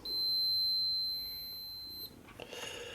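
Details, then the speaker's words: 1967 Zenith Royal 3000-1 Trans-Oceanic transistor radio: a steady two-second continuity beep across the transistor's collector and emitter indicates a dead short, so the transistor is bad and gets replaced. "when it is a solid beep like that means it's a dead short same thing as if I did this okay so that transistor is bad"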